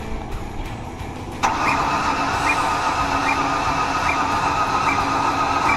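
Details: 2007 Ford Ranger that won't start after being in a ditch, plugs back in with octane booster; spins fast and unevenly without firing. A compression test later read zero on a cylinder.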